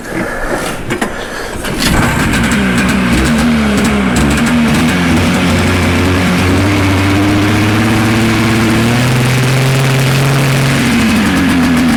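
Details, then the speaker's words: Arctic Cat Pantera 500 snowmobile, an auction find rebuilt on a budget: after a few seconds of cranking it catches and holds a slow, slightly wandering idle; the idle speed is set too low and needs increasing. "Need to increase the idle a bit, but that's a sled."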